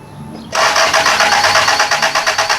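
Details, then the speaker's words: 1978 Toyota Corolla, stock 1.6 L 2TC engine, newly converted to Holley Sniper EFI throttle-body injection: steady fast cranking with no firing; no signal reaching the coil and the fuel pump shut off, so crank-no-start needs debugging. "Yeah, we got no signal to the coil now. I think this is another episode of debugging."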